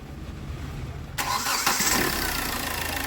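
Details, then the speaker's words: Hyundai Verna diesel with over 200,000 km, after timing chain replacement and bleeding fuel air: brief crank, then even steady idle with no rattle; timing chain noise gone, normal start and idle. "Air ഒക്കെ എടുത്ത് start ചെയ്തു നല്ല smooth sound ആയിട്ടുണ്ട് timing ചെയിന്റെ noise എല്ലാം മാറിയിട്ടുണ്ട്"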